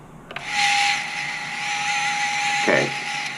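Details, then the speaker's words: Mini FPV freestyle quad, armed with full power to the ESCs and flight controller: one brushless motor twitches without rotating with throttle while another gives a steady mid-pitched hum with a thin whine; cause (motor or ESC) undetermined. "so this one right here is just not wanting to work right, and I'm getting a really crazy hum out of one of these other ones. So I'm not exactly sure what's going on and why it's making that noise."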